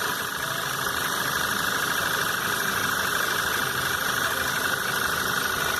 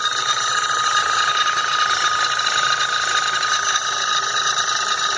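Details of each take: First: 2011 VW Jetta 2.0 TSI brought in for an odd noise and power loss: steady, even idle with a light fast injector tick and no stumble or knock; battery shows 12 V and no fault codes were found, so the engine sounds healthy. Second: 2011 VW Jetta 2.0 TSI idling with abnormal noise and power loss: steady hissing whine and fine clatter from the high-pressure fuel pump when its pressure regulator valve is not actuated, running at maximum pressure.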